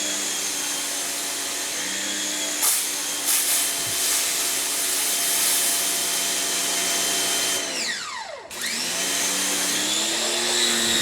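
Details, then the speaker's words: Electric pressure washer in a comparison test (Adam's Pro, AR 675, Kranzle KWS700, Sunjoe SPX9006-PRO): steady high motor whine with a mid-clip pitch dip and recovery as the pump surges from air in the line. "so got air in line come on"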